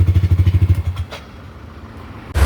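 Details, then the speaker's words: Yamaha Nmax scooter after repair (was hard to start with lost compression, coolant pushing and leaking valves), now starts on one press; even, steady low-thump single-cylinder idle with side-case noise as shown, no engine warning light; normal idle. "อ่าสตาร์ทมือเดียวนะครับก็ชุดข้างก็ดังประมาณนี้นะครับส่วนเครื่องก็ไล่ให้เรียบร้อยแล้วนะครับ"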